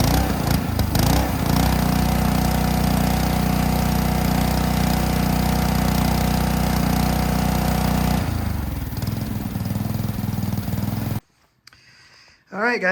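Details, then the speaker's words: Ryobi 3300 PSI pressure washer, Honda GCV190 engine, after backing out unloader valve spring to reduce pump pressure: steady even drone holding speed while spraying, then winding down; running smoothly, no hunting or stalling. "it seems that I've got it dialed in uh pretty good"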